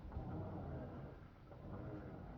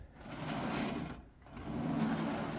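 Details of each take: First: Greased turntable bearing for a budget R2 build turning with a low, soft rumble, no rattle, clicking or grinding; grease quiets the bearing balls. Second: Rockler lazy Susan turntable bearing without grease, spun by hand: rolling rattly clatter of clicks and clunks; greasing the bearing quiets it.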